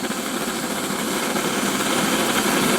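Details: Antique paraffin blowlamp, newly assembled and tested outdoors: a steady, even hissing roar with a gentle flutter and no low thump; the burner is running properly.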